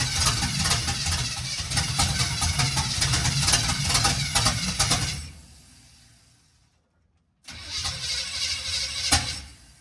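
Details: 1951 GMC 5-window cab-over on its first start, running only on spray starting fluid with no fuel reaching the carburetor yet. It runs ragged and uneven, fades out after about five seconds, catches briefly again and won't keep running. Timing suspected off.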